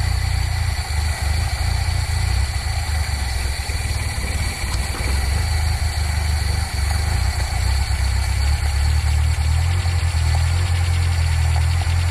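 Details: Nissan K10 Micra cold start after adjusting auto choke spring tension; engine settles into a steady, slightly raised fast idle with even low drone, choke holding revs up cleanly.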